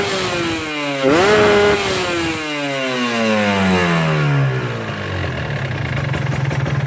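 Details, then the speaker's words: Two-stroke motorcycle (tagged Ninja) with the carburetor set correctly, the owner's preferred fuel-efficient setting: a crisp blip snaps to high revs and falls cleanly to a steady idle, with no blubbering low-end. Normal revving. "Tapi kalau menurut saya ini settingan yang baik itu seperti ini. Jadi putaran bawahnya itu tidak terlalu berbet ya, meskipun motor 2 tak."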